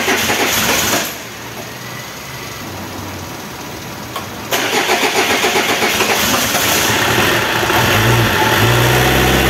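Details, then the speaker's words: Renault Kangoo F8Q 1.9 diesel adapted from Lucas Delphi DPC to mechanical Bosch VE pump, just repaired after racing and not holding idle; after injector bleeding and glow plugs, cranks a few seconds, catches, settles to steady clattering idle; normal start. "ahí arrancó el motorcito Bueno ahora voy a pararlo voy a instalar la correa de accesorios y ahí vamos a seguir haciendo pruebas"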